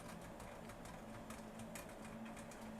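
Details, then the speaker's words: 2002 Ford Ranger factory stereo/CD changer 3C3T-18C815-AC, remounted, at power-up: short motor whirs with regular clicks as it checks all discs; normal changer disc check. "And it just did a check on all of the discs and everything's good."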